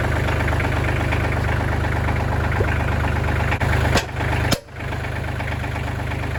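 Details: Kubota L3000DT diesel tractor with a good used replacement engine, serviced: steady, even idle with a smooth low thrum and a couple of brief bumps, no knocks or misses; normal healthy idle.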